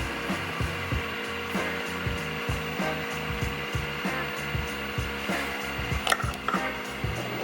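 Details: Nespresso machine unused for a while runs but pumps no water: short buzzing pump pulses about every two seconds, straining against trapped air; fixed by priming water in with a syringe and repeatedly pressing the power button.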